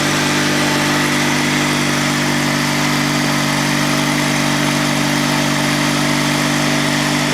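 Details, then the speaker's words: Honda GX360K1 twin engine, restarted after sitting a year and fuel pump attention; smooth, steady idle with no knocks, misses or surging, sounding like a Honda car engine; normal idle. "These things are so closely related to the Honda car engines, it's no surprise that it sounds like one. Alright, so that's the sound of the GX360K1 running, and on to more features."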